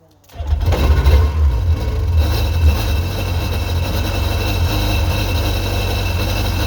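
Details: 2001 Sea-Doo GTX 951 DI two-stroke jet ski after rebuild, first start on the flushing hose: fires within a second, flares up, then settles into a steady, even idle with no misses or knocks; normal start and idle.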